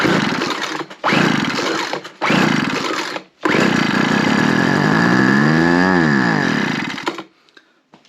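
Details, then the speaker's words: Roadside-found non-running two-stroke power equipment, primed with two-stroke mix down the carb throat: catches in short bursts, revs rough and uneven, then dies; corroded, stiff carburetor metering diaphragm with sand-like debris. "clearly it was on the side of the road for a carburetor issue now as I already identified the metering valve aside from having what looks like sand in it I think it's just corrosion"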